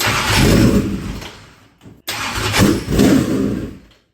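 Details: Dirt track race engine, fuel lines empty and being primed with air pumped through: two bursts of uneven starter cranking with no catch; cranks but will not start, fuel starvation.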